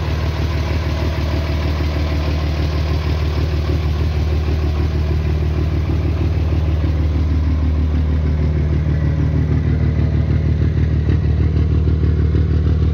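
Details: Diesel engine with valves set loose to clatter, owner suspects lost power and low-rpm boost: heavy idle with loud even clatter about three per second; excessive valve clearance, to be reset to original 40/60.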